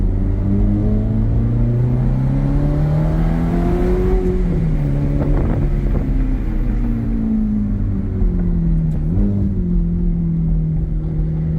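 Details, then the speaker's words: 2007 Ferrari F430 Berlinetta V8 accelerating in automatic sport mode at part throttle, holding revs high before upshifts; smooth rising engine note with clean dips at each shift and no misses or knocks, a healthy engine. "So in sport mode, it doesn't want to shift quickly. It likes to keep those RPMs up."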